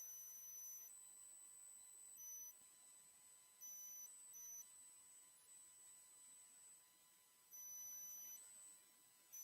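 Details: High-pitched squeal from a livestream microphone: piercing whistles switching between a few fixed pitches over near silence; the squeal had been fixed the day before, and the owner wonders if a fan or his hearing aids cause it. Cause unconfirmed.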